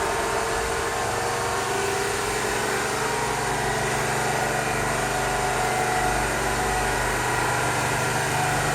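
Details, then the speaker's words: GMC New Look "Fishbowl" transit bus, first run in a year, building air to release brakes: a little smoky but big diesel ticks over steady and even, no knocks or misses; normal idle. "it's a little smoky but it certainly sounds good still not ready to move to somebody who spent a good chunk of their life in the 80s riding these buses this is music to my ears to hear one of these running"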